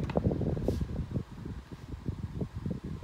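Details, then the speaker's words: Galaxy 12-inch table fan on medium speed: uneven low rattling chatter from motor bearings, also present on lowest speed, fan needs a push to start; suspected dry bearing noise. "you can kind of hear the bearing noise just make a big bearing noise on the lowest and medium speed and it kind of bothers me sometimes at night"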